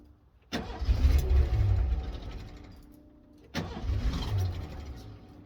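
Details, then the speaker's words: 1991 Ford F-150, restart after first getting it running with starting fluid and adding antifreeze; two quick catches each with strong rev settling smoothly, no misses or knocks, "runs like a dream". "uh runs like a dream look"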